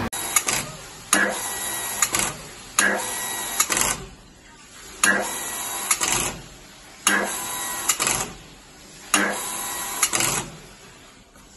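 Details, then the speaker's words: Water pump cycles in short rattling bursts, each stop ending in a sharp knock and shudder through the pump and pipework, sometimes brief, sometimes longer: water hammer whenever the pump stops. "mudah-mudahan tadi bisa melihat ya dengan jelas bahwa memang setiap kali pompanya berhenti itu ada getaran ya, dadat. Kadang getarannya sebentar, kadang lama gitu ya."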